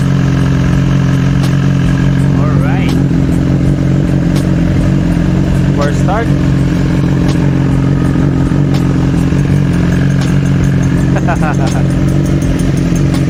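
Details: 2019 BMW S1000XR inline-four at 16k odometer: sharp, loose ticking over a steady idle, apparently from the valve train/top end; described as a common issue, thicker 20W50 or 15W50 oil suggested, unknown whether oil or a faulty part is the cause.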